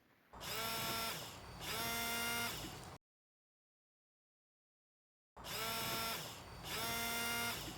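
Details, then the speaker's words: Vehicle windshield washer pump, key on, switched on intermittently while hoses are inspected for cuts, kinks and leaks: two short bursts of steady high-pitched buzz, a gap, then two more. Pump working normally. "If the fluid is fine, have somebody turn on the washer pump intermittently while you're inspecting the hoses for cuts, kinks, and leaks."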